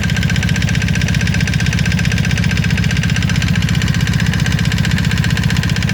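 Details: 1995 Honda Magna V4 idling with a steady, fast rhythmic knock over the exhaust pulse; owner suspects chain tensioner or valve noise, unconfirmed.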